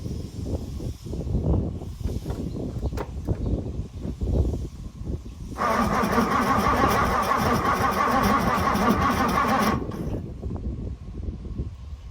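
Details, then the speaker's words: 1964 Ford Thunderbird, 390 FE big block, sitting since 1998, distributor cap refitted, fuel with two-stroke oil poured in: about four seconds of steady cranking with a stray pop or two but no catch; owner thinks it needs more fuel. "man she started to pop off there I think she just needs a little bit more fuel Maybe"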